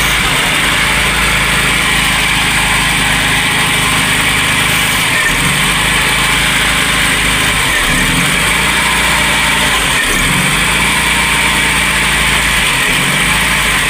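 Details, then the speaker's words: VW Golf/Polo Classic with MP9 injection, cold start after carbon cleaning with carb cleaner, MAP sensor plugged in: steady, even idle with only slight slow dips, no hunting; normal cold idle. "We don't have our rev working obviously. But, it's maintaining a steady idle cold start."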